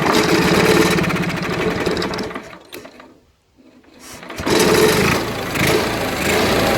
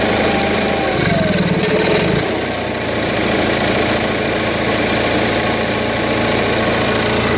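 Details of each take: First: Onan 4 kW carbureted gasoline motorhome generator not starting, gas poured directly into carburetor: engine catches and roars briefly, dies to near silence, picks up again, running only on primed fuel, proving spark. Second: Onan 4 kW carbureted gasoline motorhome generator restarted after maintenance: a brief disturbance, then a steady, even hum with no rpm fluctuations; normal idle.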